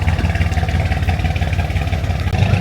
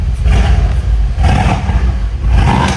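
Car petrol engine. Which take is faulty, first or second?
first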